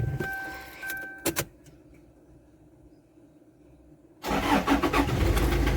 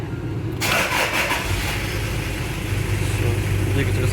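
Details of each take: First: Toyota Surf with 1KZ-TE diesel brought in for engine knock: a regular hollow knock at idle, about three per second. On teardown the piston was loose in a scored cylinder liner; piston slap. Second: Toyota Surf 1KZ-TE diesel, warm, after an overhaul for piston knock from a scored cylinder: catches and settles into a steady, even idle with no knocking; the knock is gone.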